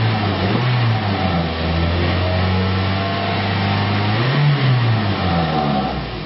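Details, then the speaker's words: 2001 Toyota Echo 1.5 L after the engine computer ground repair: two clean throttle blips rise and fall smoothly back to a steady idle, with no stumble or misfire. "This thing is running very smooth. I don't see that light flickering on and off."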